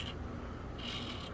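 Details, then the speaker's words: Neglected Axial SCX24 RC crawler with the front axle turned by hand: soft, even gear rustle with no catches or crunching, so the front gears are healthy. The rear worm gears grind and bind. "the front ones don't feel too awful bad as you can see they're doing okay"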